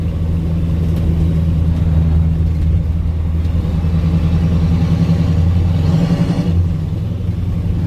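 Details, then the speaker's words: 1985 Ford F-8000 with CAT 3208T diesel after a 13°F cold start, driving windows up in fourth gear: heavy steady engine drone under light load, no knocking; healthy, though exhaust and an annoying cab rattle are noted. "just hear the engine sounds sounds beautiful actually the engine you get on it though you hear the exhaust and of course you got all the rattles or whatever that one rattle is it's really annoying"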